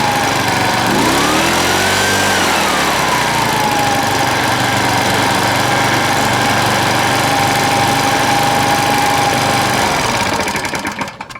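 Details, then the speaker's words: Shindaiwa EB8510RT backpack leaf blower, likely a 2007 model under a muffler fire-hazard recall, after recoil starter cord repair: even, steady two-stroke drone with a clean high tone that swells briefly and settles. It runs healthily. "Yeah, this thing sounds great, actually."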